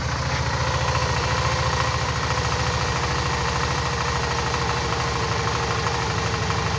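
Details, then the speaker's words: Suzuki DL 650 V-Strom after cleaning the clogged high-pressure fuel filter and fixing the loose pump positive wire: steady, even idle with a regular low pulse and no misses; fuel pressure at working level. "Tô com o sistema vazio aqui, cheio de ar. Dei uma ligada, ele já subiu para pressão de trabalho."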